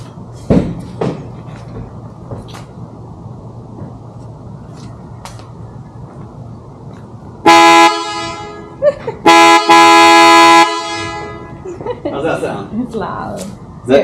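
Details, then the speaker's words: 2019+ Mercedes Sprinter van after installing PIAA Super Bass horn kit, tested before grille refit: two long loud steady blasts with rich deep tone, clean and strong, horn working properly. "That there is what this van should sound like when it comes up behind you. I like it. It was so loud."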